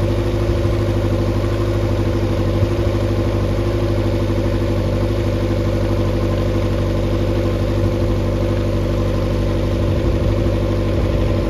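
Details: Mercury 90 hp four-cylinder outboard on a Shetland 535, on the flush after the spark plug swap: steady, even low running with no misfire or lopsided beat; should now fire on all four cylinders, previously three.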